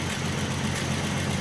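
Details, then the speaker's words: 1967 Mustang 200 cubic inch inline six, first start in about 20 years, new fuel filter, engine pressure good: steady even idle, smooth firing, no rod noise, knocks or misses. "She's just running. You just can't kill these old inline sixes. They're just damn good motors."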